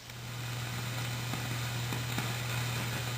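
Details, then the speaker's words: Fender Super Reverb amp, no signal playing: constant low mains hum under a steady hiss with faint crackles; excess background noise, owner suspects a noisy resistor, possibly an ungrounded jack, not confirmed. "there's some noise and we'll get to that terribly worried about it I think there is probably a noisy resistor somewhere we'll find her in it"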